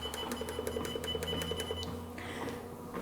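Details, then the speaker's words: Wellfit TM029 compact treadmill: a run of short, evenly spaced high beeps, about four a second, over a low motor hum as speed or incline is adjusted; normal, non-disableable control beeps. "And you might be able to hear that the treadmill beeps as I adjust the speed. And it will do the same when I adjust the incline. You can't turn that feature off."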